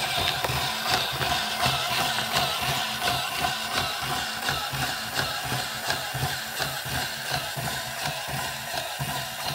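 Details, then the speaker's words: Marks & Spencer Insect-a-zoid self-build robot, model 4218, after moving the rubbing pinion gear about 1mm up the shaft off the crown gear: light even walking clicks about 85 per minute, no rubbing or grinding; normal gear drive. "so you can hear how quiet it is now so here we go again and this time it should be much quieter"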